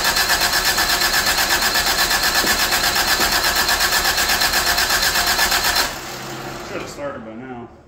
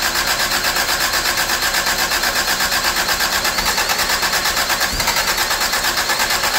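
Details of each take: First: 1985 Toyota Tercel after swapping vacuum lines and brackets onto a replacement carburetor, some distributor vacuum lines unhooked: fast, even cranking about six seconds that never catches; flooded, will not start. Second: 1985 Toyota Tercel, after moving the distributor back because timing was suspected to be off (it had spark and fuel): steady, even idle beat with a bright, busy top end and no misses or knocks; normal idle.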